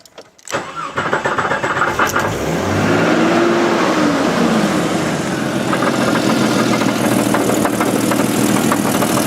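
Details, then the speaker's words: 1988 Jeep 4.0 Renix started via a jerry-rigged switch. It cranks, catches and settles to idle with an irregular tapping knock about four per second that goes away when driving. Not thought to be rod knock; piston slap suspected, cause unconfirmed. "My guess is it's not a rod knock because rod knocks knock all the time. As soon as you add a little speed to this and go down the road, the sound goes completely away."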